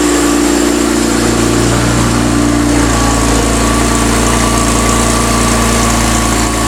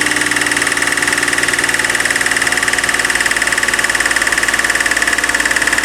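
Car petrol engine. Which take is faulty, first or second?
second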